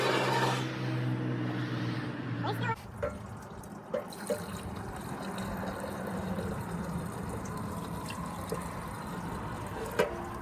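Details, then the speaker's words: 1940 Dodge VFA32 winch truck, 85 years old, first start with fuel poured in: low, even drone for under three seconds, then it cuts out dead once the fuel runs out. Dies from fuel starvation. "I got it to move. I think she's very thirsty."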